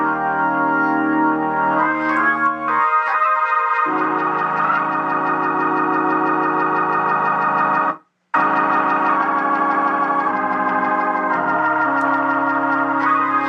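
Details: Organ chords from the amplifier ring out full and even at steady volume with no crackle, fuzz or breakup after replacing cheap 0.047 µF 1600 V and 0.1 µF 600 V capacitors with quality caps; amp sounds clean.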